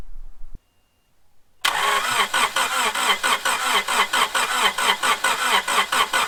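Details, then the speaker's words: Honda Prelude after head reinstall, fresh oil, first start attempt: starter turns engine over in even, rather slow pulses for several seconds without catching; cranking no-start, suspected dead battery, later started with jump pack. "I think it was a dead battery, so I hooked up my buddy Seth. He got me a little jump pack."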